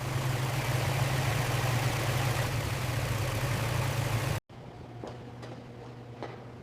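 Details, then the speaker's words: Ford Mustang 4.6-liter V8, revived after long sitting with fresh coolant and air filter, warmed up at idle. Throaty, steady, even rumble with no knocks or misses before it cuts out; normal warm idle. "Throaty V8 rumble, proving that this engine was still alive after all that sitting."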